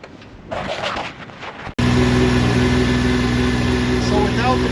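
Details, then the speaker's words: 2005 Yamaha Vector snowmobile after factory clutch rattle repair kit installed, recorded in echoing trailer: steady even drone, clanking and rattle gone, runs smooth and quiet; normal running. "A lot quieter you can hear the clankings gone now runs nice and smooth nice and quiet"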